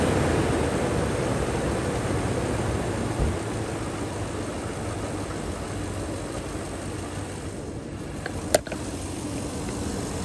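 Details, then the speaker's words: 2007 Toyota Tundra 4.7L V8 after repairing stripped cylinder 3 spark plug thread (P0303 misfire) and new ignition coil: smooth, even low rumble idle with no skips, one brief click; code cleared, no check engine light; normal idle. "Alrighty. Look at that, sounds pristine. No more check engine light."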